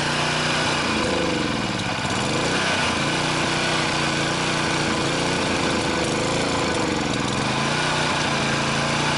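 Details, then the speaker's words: Honda GCV160 lawnmower engine: idle pitch keeps rising and falling instead of settling. Hunting, surging idle. "if your lawnmower or small engine Honda GCV 160th experience surging or a hunting Idol keep watching because this video explains how you can fix it and what is causing the problem"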